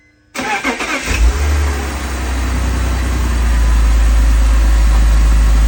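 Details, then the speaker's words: 2002 BMW 330Ci cold start, heater on low: short crank, quick catch, smooth steady idle with air-pump whoosh, no valvetrain tick; earlier tick likely a collapsed lifter since pumped up; coolant loss still unexplained. "well go figure it's not making the noise so it's got to be a collapsed got did a collapsed lifter"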